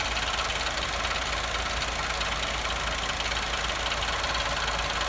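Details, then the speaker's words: New Chevrolet Onix on cold start: fast, uneven tinny rattle about three a second over the engine hum, like sheet metal knocking, noticed only when cold on the second day; source unknown. "aí a beleza pessoal então aqui vai ser mais curto eu notei somente na parte da frio vou ficar mais ligado vê se aparece quando o carro já tá quente também"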